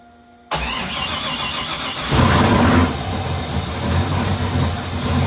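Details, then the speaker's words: Freshly installed LS3 V8, first ever start with oil but no transmission fluid, after fixing one wire: fires right up, one quick rev blip, loud steady idle, killed right away; normal start. "All right, super pumped. Got it started for the first time. The first start was just to make sure that it would turn over, so I killed it right away."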